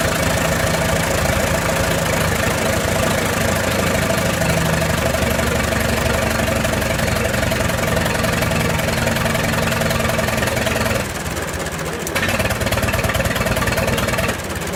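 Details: 1928 Farmall Regular tractor idling after carburetor tweaks, just started with timing advanced about halfway: smooth, even idle rhythm with brief dip in speed near the end as idle is trimmed, no misfires; healthy normal idle.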